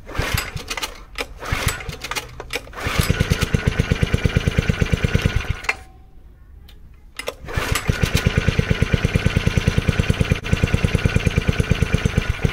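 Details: 1970s Honda G35 3.5 hp general purpose single-cylinder engine: pops along in steady, even beats, drops away briefly, then picks back up and keeps running.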